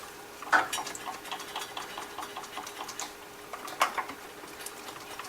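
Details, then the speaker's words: 1998 Chevy Tracker (Suzuki) with injectors spraying fuel, key on, battery charger attached, engine stopped: light quick injector ticking over a faint hum; clean, healthy clicking, shorted connector pins suspected. "okay that sounds better let me wiggle these"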